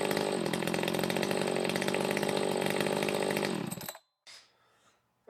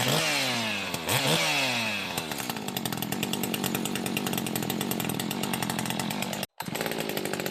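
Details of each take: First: Echo 590 chainsaw with a used 620 cylinder, muffler mod, timing key advance and swapped carb fuel nozzle, straight off the dyno: steady, crisp high-revving buzz for about four seconds, a healthy two-stroke exhaust note pulling evenly. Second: Echo 590/620 60cc chainsaw on dyno at full throttle with high needle all the way in, burbling and four-stroking strongly between 12,000 and 12,500 rpm; mixture still too rich.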